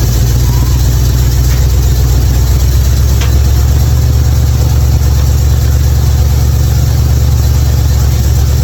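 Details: 1955 Chevy hot rod V8 idling after replacing bad spark plugs that had caused misfires from sitting unused: steady deep even burble, no obvious miss; now running clean.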